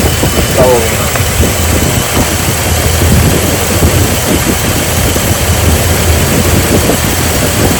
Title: Misfire Jeep Liberty